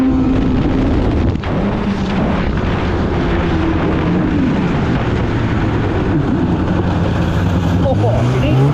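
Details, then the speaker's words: 2016 Polaris Indy 600 SP two-stroke snowmobile at full throttle after plugged fuel filter fix (previously stuck below 6,500 rpm): sustained high-pitched howl without stumbling or cutting out, hitting about 8,000 rpm as it should; normal full-throttle run. "you know what that was hitting easily 8,000 RPM there which is where that you know approximately where it should be so she was getting full pole"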